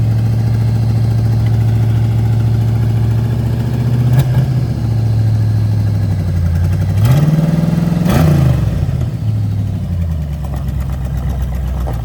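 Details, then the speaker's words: Rusty Foxbody Mustang 5.0 V8 that sat about 20 years, first time on the road in decades, no brakes or power steering: lumpy, uneven beat that dips and surges pulling through low gears; owner suspects the closed-off fuel returns cause the mediocre running. "oh first time on the road probably 30 years it's running mediocre probably cuz uh the returns are uh closed off"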